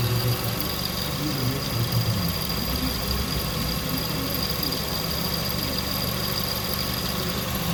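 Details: 2006 Kia Sportage 2.0 L at idle: steady idle with thin constant high whine over it; idler pulley suspected, possibly needing replacement or tensioner adjustment, not confirmed.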